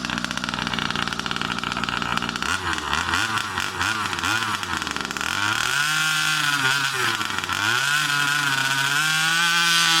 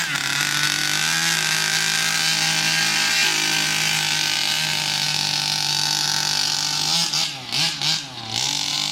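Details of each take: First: New Rovan 36cc double-ring two-stroke in a King Motor Baja 5B, first warm-up run: buzz stumbles, surges, pops and cuts out as it revs; misfire because the carb wasn't primed again, starving it of fuel. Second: New Rovan 36cc double-ring two-stroke in a King Motor Baja 5B, warmed up, head gasket removed: high-pitched scream revving cleanly and holding strong under full throttle without bogging, the power the builder wanted.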